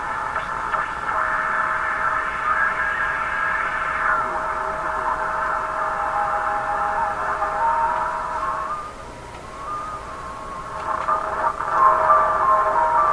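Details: Canadian RCA Victor Model 5T5 AM radio after front-end alignment, on antenna test: station audio steady with strong carrier and modest hiss, fading slightly then returning; receiving normally.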